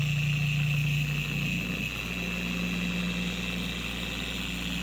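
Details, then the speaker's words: 4-year-old Carbon Collective DA/random orbital polisher, before a gear-head regrease with red lithium grease: a steady high scream over a fast buzzing drone with an uneven wobble at high rpm. It vibrates excessively and walks across the panel; cause not confirmed. "This thing absolutely screams. It's not going to say what the what the word I wanted to say was, but it screams at higher speeds."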